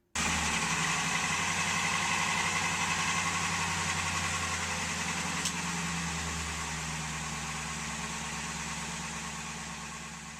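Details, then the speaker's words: 2002 Ford F150 (10th gen), 268k miles, oil consumption, cold start before using Valvoline Restore & Protect: loud, fast, regular piston-slap clatter that eases as the engine warms and goes whisper quiet once slightly warm. "My piston slap issue is not that bad. It's a racket at startup and then quiets down and is whisper quiet once the engine is slightly warmed up."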